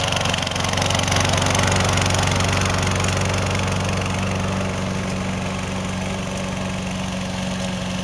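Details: 2005 RC lawn mower, about 12 years old, 12-volt electric start just repaired: steady even single-cylinder drone with clean constant beat, no misses or knocks; running smoothly like new.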